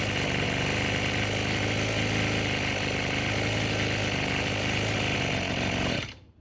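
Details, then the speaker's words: Roadside-found Echo SRM-210 two-stroke string trimmer after replacing the deteriorated purge (primer) bulb, fuel lines, fuel filter, grommet and air filter: buzzes at a steady high speed without stumbling or surging, then shuts off cleanly; running healthy. "So what do you think? Not bad for a free unit."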